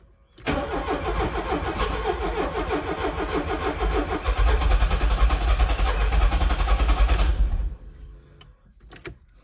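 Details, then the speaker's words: Porsche 924 after distributor rebuild (ignition impulse sender replaced) to cure a hot-start breakdown: cranking catches and runs roughly, unevenly for a few seconds; timing turned a couple of degrees counterclockwise, still needs further ignition timing adjustment. "okay she runs but she's not great so let's go adjust it to until she's running better"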